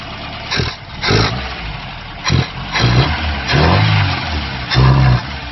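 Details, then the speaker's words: Ford Pinto-engined kit car with a Weber 32/36 DGAV carburettor: throttle blips swell, then sag without picking up revs. Bogging from fuel starvation, because a misfitted return line sent the low-pressure pump's fuel back to the tank; ignition timing was also out. "the fuel is going to the easiest place which I think we feel returning straight back to the tongue so when we try and rabbit we're not really getting anywhere"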